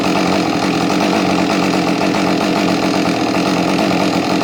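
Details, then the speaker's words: Husqvarna 550 chainsaw: steady buzzy two-stroke idle that cuts out abruptly when laid on its side; owner suspects bad crank seal drawing air or switch shorting, unconfirmed. "it runs beautifully, but if you turn it on its side, it just shuts off. I mean, off, as if it's almost an ignition problem."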